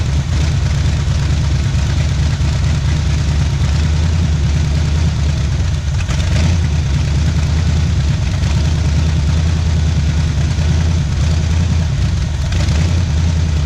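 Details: 1977 Pontiac Firebird V8 drag car revived after about 36 years sitting, cold start, warming up for thermostat to open; deep rumbling idle with rhythmic choppy lope; normal big-cam idle.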